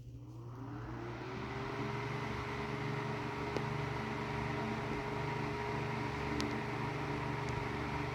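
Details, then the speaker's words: Tatung LA-12 12-inch 3-speed oscillating desk fan, about 1980, previously seized and repaired with a blown thermal fuse, running on high with the oscillator disengaged at about 60 W: steady hum with a faint hollow rattle from not-great motor bearings. "it is pretty quiet there is a bit of like that Hollow rattling that some fans with kind of not great bearings sometimes have but I'm not expecting it to be perfect"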